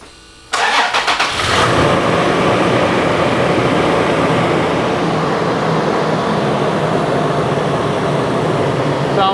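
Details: Toyota 4.0L V6 after a spark plug change, second start after reconnecting the battery: quick crank, fires up and holds a smooth, even idle with no misfire or ticking. Sounds healthy.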